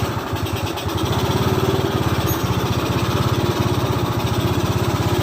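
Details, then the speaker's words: Automatic scooter after repair with its starter motor (dynamo) refitted: steady even chugging at constant speed as the starter turns the engine properly; normal starter cranking, then it starts. "Nah, ini udah kita tes starternya. Sekarang udah bunyi dia."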